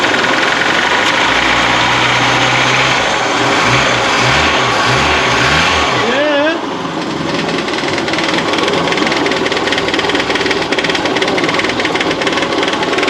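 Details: Barn-find Saab 99. Cranking beats for a few seconds, then it catches into a busy, even run with no misses; it now starts and runs.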